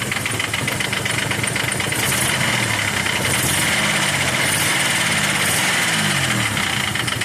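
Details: Nissan Maxima J30 VG30E V6 at idle: unstable revs with a quick ticking and occasional stumble; owner suspects hydraulic lifters or rocker arm for the tick and a clogged injector for the misfire; Liqui Moly additive just added; cause unconfirmed.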